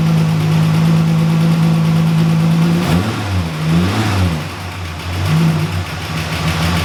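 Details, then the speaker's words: EB Ford Fairmont first start after years of sitting, after fixing a split vacuum hose: busy top-end tick under idle with rev dips; owner expects lifters to bleed up and noise to clear after running. "yeah she's back calm down buddy but yes she is back a lot of top end noise but that should clear up after some running to get the lifters to bleed up again"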